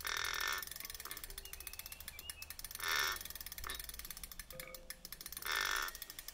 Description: 1000w hub motor from OZO has started making a strange creaking noise.